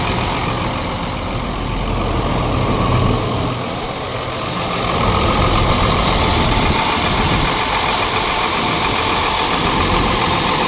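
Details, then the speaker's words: Ford F750 Cummins diesel that sat for years, idling after first-start fuel work, just after the air pressure popped off; steady, even diesel clatter at idle with no misses or knocks, running smooth. "Oh, listen at how smooth now. Well, she certainly sounds good now, don't she?"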